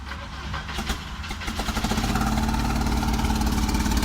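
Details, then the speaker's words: Volvo 740 turbo with all exhaust removed during a manual swap: it cranks and catches with a ragged, uneven beat because half the spark plug leads were left off; smells of fuel; misfire. "shit! Half the spark plugs aren't on. I forgot about that. Let's reconnect those 2."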